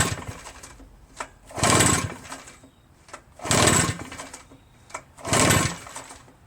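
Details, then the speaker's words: RedMax EBZ8050 backpack blower, reassembled, with good compression but hard to pull. Three recoil pulls each give a short churning whirr that dies away and it never fires. Cranks but won't start; owner wonders about a dirty carburetor or carbon-stuck rings. "Not a sign of it starting, ever. So, I'm at a loss."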